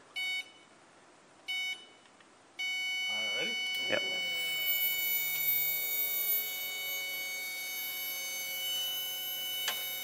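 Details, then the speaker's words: Daihatsu Midget engine swap, fuel system prime checking for leaks: few short beeps then steady high whirring hum of electric fuel pump priming normally, pump wired directly and spinning right way. "can feel fuel flowing into everything [Music] well can hear it all I mean as long as those injectors are closed there's no fuel leaking"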